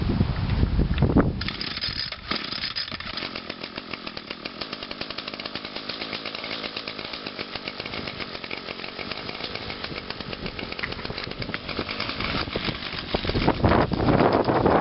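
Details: Echo two-stroke outdoor power tool, cold start on choke after a tune-up: starts and runs with a steady, even buzz at constant speed, no misses or stumbles, some wind noise.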